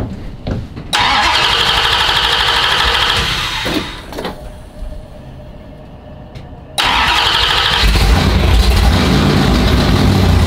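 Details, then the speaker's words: Chrysler V8 race engine (440 or Hemi) after sitting over winter, oil-primed to about 50 psi: catches with a bang, runs rough, sags and nearly dies under throttle, then recovers; cause unconfirmed. "as soon as you give it gas you think it's way [ __ ] it sounds like it okay well it's because as soon as you give it gas he wants to die okay"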